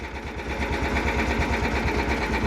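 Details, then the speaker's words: Cub Cadet 1330 Kohler engine; throttle turned down and idle sounds slow; the idle speed is too low and needs adjusting. "okay right there they're slow so this i this needs to be adjusted that's slow"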